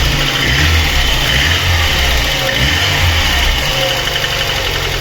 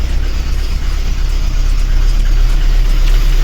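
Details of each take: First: VAZ 21099 after cylinder head repair for misfire and lost compression in cylinder four, valve clearances exhaust 0.40, intake 0.25, fully warmed up, running on petrol: even, steady running with no misses or knocks; fan has cycled, healthy. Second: VAZ 21099 engine at idle, head previously repaired with valve seats replaced 20,000–25,000 ago: uneven, lumpy idle with a regular stumble about three times a second under a deep rumble; fourth cylinder lost compression and misfires, not overheating; head to be removed.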